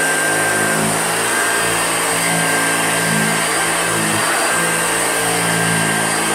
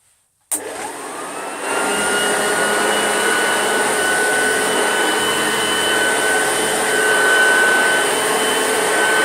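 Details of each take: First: Old Hoover Junior upright vacuum, recently repaired: steady motor roar with a wavering thin squeal on top as it runs; the squeak comes from a squeaky wheel. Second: Old Hoover Junior upright vacuum, recently repaired: steady, even motor hum with smooth airflow rush and no screech or rattle; running healthy.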